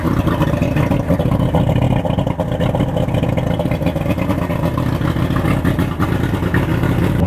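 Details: Boat outboard motor, pre-season start with cover removed, before spark plug change: after a cold start it settles into a steady, dense rumble with no knocks or missed beats; normal healthy running.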